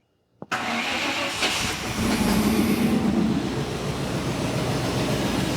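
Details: 1987 Chevy square body with a small block V8, first start after a water pump replacement and fuel system work: a sharp crank catches at once and settles into an uneven, lumpy idle that wanders in loudness; the engine is idling rough.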